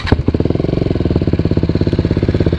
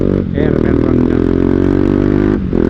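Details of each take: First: Single-cylinder motorcycle with original Akrapovic exhaust after repair and repacking: loud, hard-edged thumping idle, much harsher than before the silencer blew out; loud exhaust note at idle. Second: Motorcycle with an original Akrapovic exhaust that blew out, now louder and harsher than before: loud, raspy single-cylinder bark with a brief dip between revs, running evenly and pulling clean; the engine is healthy, just loud.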